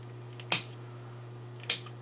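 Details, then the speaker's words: Old radio receiver chassis with speaker hooked up: steady low hum and two switch clicks, no stations or audio on A or B band, meters not reading; receiver only hums. "Alright, what we've got here is the audio, or not the audio, speaker hooked up, and it's the one right above me there, so you can hear when I turn it on, it hums. That's about all it does."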